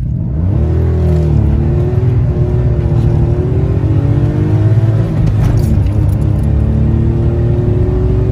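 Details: Citroen C1/107/Aygo with the removable DB killer baffle fitted in the repaired exhaust: revs climb and settle smoothly with a deep, subdued, muffled note and no rasp or blow; quietened exhaust.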